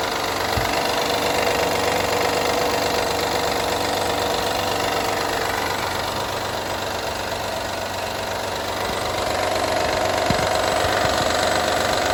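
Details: Honda Odyssey 2012 at steady idle: a light, regular rattle, roughly four beats a second, over the engine; owner asks what needs fixing, source of the engine rattle not pinned down.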